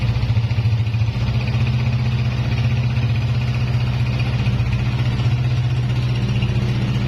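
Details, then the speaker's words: Honda CG 125 (2011 model) single-cylinder at idle after repair with a new piston fitted, after heavy smoke and extra noises: steady even low thump, no knocks, rattles or misses, silencer smoke stopped; normal idle. "आप देख सकते हैं silencer से smoke आना भी band हो चुका है अब पिस्टन न्यू डाला है"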